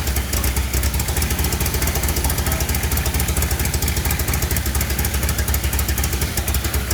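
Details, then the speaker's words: Rallygolf (VW) on first start after a 3-month rebuild with a new programmable ignition: lumpy, uneven idle with a steady stumble; one cylinder not firing, open-circuit injector 4 with 0 volts on its channel. "certainly as I was hearing the engine run, it definitely sounded like it was misfiring on a cylinder."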